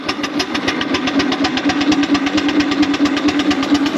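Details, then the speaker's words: 4-inch Foster steam traction engine after boiler work, on a winter steam test and its first drive under steam in a while: crisp, even chuffs at about two a second as it pulls under load; normal running. "first time she's driven under Steam for a while I won't get all angle the seat but look good she's running really [Applause] well"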